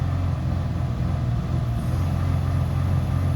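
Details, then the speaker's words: Toyota Highlander with 16 fault codes incl. random multiple-cylinder, cylinder 1 and cylinder 5 misfires, before coil replacement: uneven, lumpy engine note stays flat and won't climb under throttle, revs held down by misfire; ignition coil suspected bad. "But the first one we start with the coil, ignition coil E, and then we'll start from. So it's not going more than."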